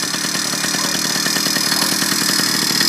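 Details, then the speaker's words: Small two-stroke motorized-bicycle engine at first start, clutch pulled in: fast, buzzy, slightly uneven idle with a bright rattly tone; normal idle. "let it idle for about 5 minutes in other words let the motor just run without it taking you anywhere"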